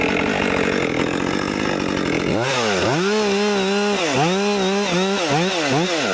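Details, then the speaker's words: New Husqvarna 564XP fuel-injected 60cc chainsaw cutting trees: pitch rises and sags a few times a second instead of holding steady; engine surging under load, cause unclear. "I hear it sort of like pulsing or something."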